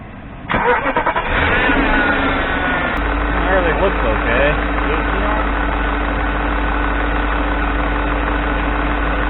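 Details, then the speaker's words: BMW E38 740iL after main drive belt and A/C belt replacement: engine starts and settles to steady idle with constant whirring tone; idler pulley visibly wobbling, bad pulley needing replacement. "Alright, everything looks good. I guess that noise is that pulley, actually, so that will need to be replaced."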